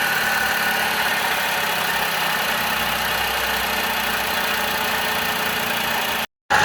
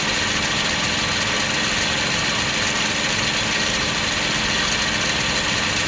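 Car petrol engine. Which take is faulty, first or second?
first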